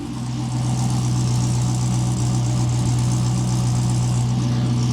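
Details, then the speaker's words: 1986 Pontiac Trans Am LT swap at startup idle with a test pipe replacing the cat: steady deep drone with slight rasp; louder than with the cat, less crackly than with the Flowmaster, still a bit raspy. "the tone is has definitely gotten better on Startup it's not nearly as quiet as it was with the cat and it's not nearly as crackly as it was with the flow master"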